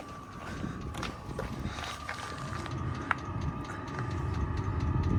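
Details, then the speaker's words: Diesel heater newly installed under driver's seat of 2017+ VW Crafter/MAN TGE, fed from main fuel tank: fan hum, thin whistle, fuel pump ticking about four times a second; burning, warming up, working normally. "Oh, lovely. And that's it. She's working."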